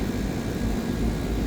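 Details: Lennox rooftop AC on second stage, 21-degree return-to-supply split and delivering 117,000 BTU against 108,000 expected: steady even low roar and smooth fan rush with no knocks, rattles or squeals; running normally.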